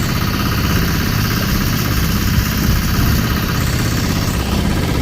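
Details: Sailboat diesel inboard conversion (version 3.0, new belt drive with clutch) cruising: steady low diesel thrum, even pulses, no knocks or misses; running healthy, normal.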